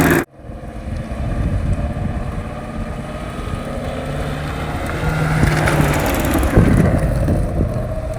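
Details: 2016 Ford Mustang GT350 rear axle making a constant faint ticking, about four a second, over road rumble while turning at any speed above 10 mph; cause never determined, no issues in high-G track turns.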